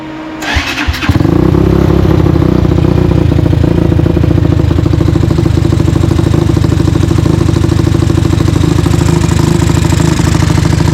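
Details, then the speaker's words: Tao Tao 250 YFZ-style quad with newly fitted replacement engine, D7 spark plug, just started: catches after brief crank, settles into loud uneven loping idle, rougher than the old engine; rough idle, cause unclear. "It also sounds like it's idling it a little weird too, like compared to what it used to idle with the other engine."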